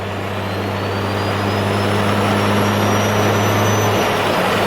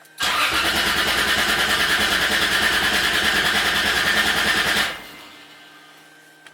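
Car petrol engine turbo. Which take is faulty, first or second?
first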